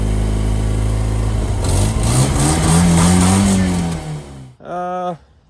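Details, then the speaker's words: BMW E36 drift build after a shot fuel pump was replaced with a cheap one: lumpy, choppy "chaff cutter" running, about four pulses a second while revving. It only runs with a power probe; owner suspects the pump is wired backwards. "Yeah, as you can hear, it sounds like what us Australians would call it as a chaff cutter. It sounds like absolute shit, but it runs."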